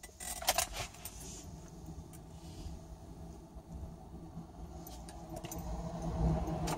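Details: 2008 Honda Accord sedan 4-cylinder: steady low electrical buzz when key is turned slowly from II to III, engine doesn't crank; turned quickly it starts but still buzzes first; cause unknown, owner suspects ignition switch, relay, starter or battery.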